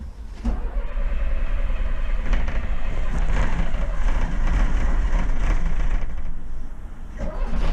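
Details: Cummins 6BT diesel in a bus, struggling to start and lacking power, very cold November: uneven, lumpy idle just after starting with a ragged low beat, smoky from condensation and unburnt diesel. Rough idle after cold start.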